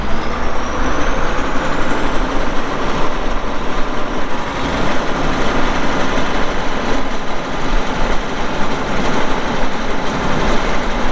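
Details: Steady, even diesel rumble with a faint high whistle that rises then holds, and no knocks or misses, from a 2002 Volvo G736VHP motor grader with a Cummins diesel. Its meter shows 6,691 hours but doesn't work; the engine runs healthy.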